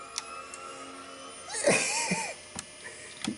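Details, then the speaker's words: Trash-picked Power Mac G3, cleaned and fitted with new RAM, first power-on: a soft click then a brief clear boot chime over quiet room noise; boots normally into Mac OS 9.2. "I actually heard a little chime, like a little boot chime of some sort."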